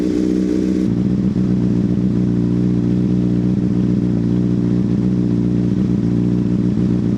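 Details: 2005 Honda CBR600RR after recharged battery refitted, warming up: steady even idle with smooth firing, no knocks, misses or rattles; running healthy.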